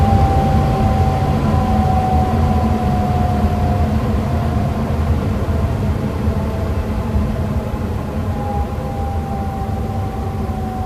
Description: ECM blower motor on our furnace was making a moaning / groaning noise when it started up and was shutting down. Sounded like Chewbacca!